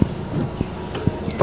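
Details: 2008 Toyota Yaris E automatic hatchback, horn test in cabin: a few light clunks then a short bright toot; horn sounds clear and strong, working normally.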